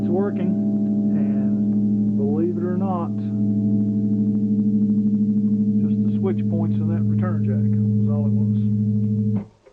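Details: Solid-state guitar amp under diagnosis for a dead fault, with oxidised jacks and earlier reflowed joints: guitar chords ring out clean and sustained with no crackle, hum or dropouts, so the amplifier output is normal.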